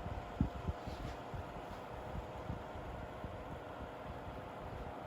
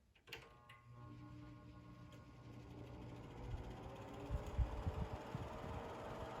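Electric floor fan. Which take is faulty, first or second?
second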